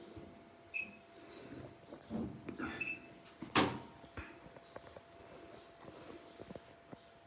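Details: Two-month-old Bosch Series 4 front-load washer, repaired four times, with irregular hollow knocks and clunks over a faint hum since the first repair; Bosch says normal, owner doubts it.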